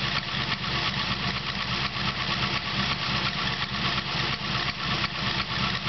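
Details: 383 LSX V8 at steady idle with a dull, rhythmic knock about three times a second plus a squeak; suspected piston slap, unconfirmed.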